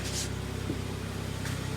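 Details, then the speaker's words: 2011 Hyundai ix35 G4KD, FWD automatic, 157,000 km, LPG-equipped but not running on gas, after repair of cylinder scoring knock, heard from outside: steady, quiet, even idle with no knocks or extraneous noises; normal idle. "работает ровненько работает тихо абсолютно никаких посторонних шумов это самое главное"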